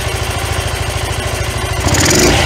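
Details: 1993 Yamaha Riva 125 scooter with a cheap GY6-type replacement carburetor, with the choke in question. The single runs with an uneven, lumpy beat, then surges briefly as if hunting and about to die; a rough idle heading toward a stall, with fuelling or choke suspected.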